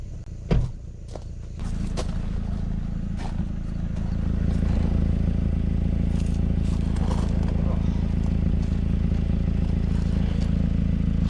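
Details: 2011 Mazda 3 idling with a low rumble and a soft, rhythmic puffing tick from a recently started, well-hidden exhaust leak that was tough to find.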